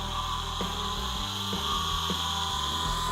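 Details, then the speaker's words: Salvaged forklift electric motor, found in a parts pile for an electric dune buggy, powered up and spinning free: a steady siren-like high whine with harsh grinding and a shifting low hum. Sounds in a sad state, whereas such motors are typically silent. "This motor sounds more like a siren or something. It's really grinding, it's whining."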